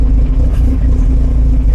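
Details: 1975 Volvo 245 wagon 16v turbo resto-mod, LH2.2 injection: deep, lumpy idle about 800 rpm with dips, low vacuum, wideband 8–9, barely held by slight throttle, carbon from tailpipe; air mass meter suspected bad. Rough rich idle.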